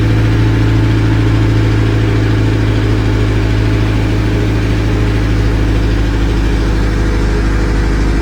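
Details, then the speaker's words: D15 turbo Charade just started on a Demon 2 Neptune RTP base map: steady, loud, even cold fast idle held around 1400 rpm by the idle air control valve, no misses or knocks; it should drop as the engine warms. "so you hear the car idle up. That's idle air control. You hear the car how it's idling at around 1400 RPM now."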